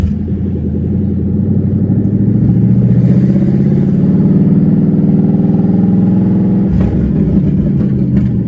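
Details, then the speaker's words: Drift Mustang first start after refitting a used OEM H-pipe to cure a check engine light: loud open-pipe idle with an uneven, stumbling pulse and dropped beats; suspected misfire, cause not confirmed. "This sounds so freaking stupid. Dude, this thing sounds like it's missing its ass off."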